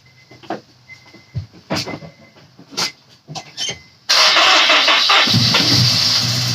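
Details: Honda S2000 after melted number-one coil pack; second startup gives a few quiet knocks, then catches and revs hard with crisp, even throttle blips, no misfire; much better than rough first start; healthy revving.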